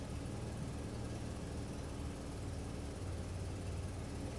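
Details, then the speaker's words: 2007 Toyota FJ Cruiser with P0016 code, idling: deep idle turns uneven when scan tool commands VVT bank 1 on; tensioner found fully extended, stretched timing chain. "You can hear our idle go wonky when we line up or we hit bank 1."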